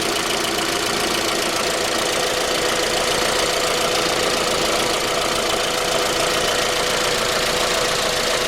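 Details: Cold 2010 J20A petrol engine at idle: a steady dull knock of three to four beats a second. It appeared at 10,000 km, and dealer checks were normal. It progressed after oil changes. Cause was a scored crankshaft journal on cylinder 3, attributed to non-recommended oil.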